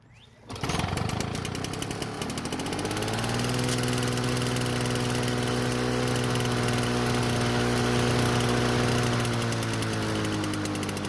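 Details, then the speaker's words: Lawn-Boy two-stroke mower after the governor spring was bent to adjust it: fires, surges, then settles into a steady, fairly high drone and never drops; it won't hold low speed. Cause not confirmed. "So in the end, it's better, but it's not great. I have high speed and medium speed, but not low speed."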